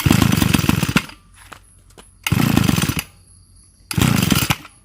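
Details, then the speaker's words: Small two-stroke engine after converting its float carburetor to a pump-type carb and mounting the cylinder upside down: revs in short bursts, then drops nearly to stalling between them; idle set too low and needs adjusting. "ขอจบมันเบาไปครับปรับเลขให้หน่อยก็จะติดครับ"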